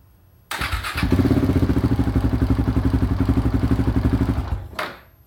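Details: KTM 690 single: starter thumps about four strokes a second for several seconds without firing; hard start, cause unknown.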